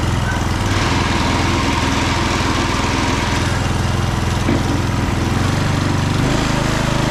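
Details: Husqvarna HU 625HWT four-stroke string trimmer after repair and cleaning, with a new front bolt and nut: catches after a few primes and settles into a steady, even buzz with no misses or rattles; normal running.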